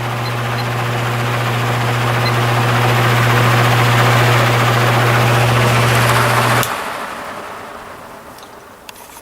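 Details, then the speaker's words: Repaired spare plastic Marco motor with blade from vintage Lasko/Galaxy box fan on medium speed (blue wire), about 0.33 A, 108 W: smooth steady low hum, then switched off and winding down quietly; normal running. "And I don't think that'll touch the blade. Let's start up on medium. .33 amps and 108 watts."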